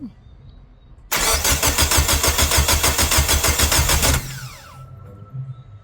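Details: Rebuilt Mitsubishi Lancer 4G15 turbo engine: about three seconds of steady, even cranking at roughly three turns a second, then it stops without catching. Cranks but won't start; the owner suspects the fuel pump and plans to bridge it to test.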